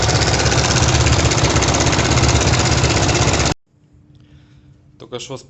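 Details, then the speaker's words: Kovi Pro KT, zs177mm single-cylinder, 1300 mileage, 44 engine hours, knocking the day after a ride (clutch play and valves checked fine), "flute" inserted to make it audible: a loud, fast, steady clatter about three a second over idle, then cut off. "Так, сейчас я тут флейту вставил, чтобы было слышно, как стучит. Сейчас заведу."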